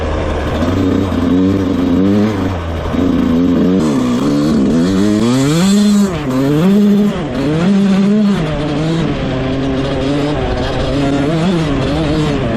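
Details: Rebuilt 2001 Yamaha YZ125 two-stroke, ridden: revs rise and fall cleanly through the gears, no stumble or bog; jetting spot on, air screw maybe slightly off, slight takeoff bog if clutched wrong.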